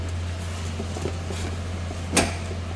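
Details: Lexus CT200 with 150,000 on the odometer, after air-conditioning service: steady low hum with no rattle or whine; the noise previously heard at engine start is gone, A/C runs quietly and cold, normal operation.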